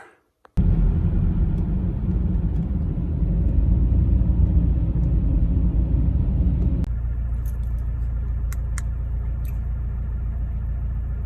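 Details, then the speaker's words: BMW E46 compact N42/N46 after retiming; timing had skipped because the crank bolt wasn't torqued to 200 Nm, causing codes P27C1, P2781, P2782. Starts instantly, then a steady low rumble settles into an even idle. Normal idle after repair. "car idle smooth it drives okay and I think it sold the issue"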